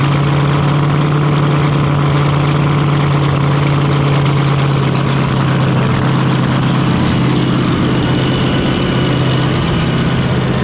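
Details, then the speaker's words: Fountain 42 offshore racing powerboat with twin 9-litre engines, started after racing and a fresh-water flush while a misfire is being investigated. Deep steady hum holding one even pitch with no misses, knocks or hunting; sounding pretty right, normal idle. "a job yeah sounding pretty right let's get some food"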